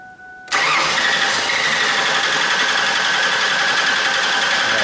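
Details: Mercury Sable with an intermittent no-start and no codes, that won't restart after shutdown but starts after sitting: a steady, loud starter drone that never catches, cranking without starting because there is no fuel pressure.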